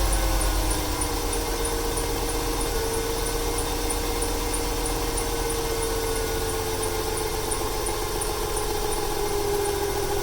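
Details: 1995 300 six with over 400k miles, idling: an uneven, stumbling misfire with belt squeal over it, stuttering more when throttle is applied; owner wonders whether it is fuel or timing.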